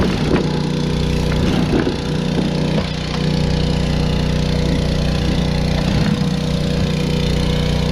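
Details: Two-stroke blower after carb rebuild (ultrasonic cleaned), new fuel line and blown-out reused fuel filter: steady drone at even speed with no surging or bogging; runs smoothly.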